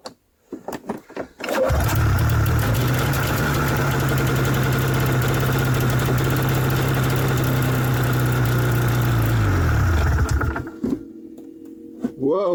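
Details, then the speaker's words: Pull-started 1994 Yamaha VX500 Vmax 500 two-stroke snowmobile, long unused: fires after a few pulls, runs smoky and steady for about eight seconds, then sags and dies. Not pulling fuel from the tank. "okay so it's definitely not pulling definitely not pulling fuel from the tank and I'm pretty sure all this smoke is just from the the two-stroke"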